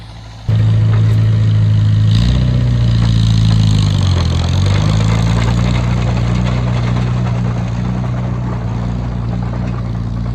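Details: Oliver Cletrac OC3 crawler with a new engine being broken in, chained to a truck with the brakes ridden for load: a steady, deep note sags briefly as load comes on, then pulls evenly without missing. Normal engine under load.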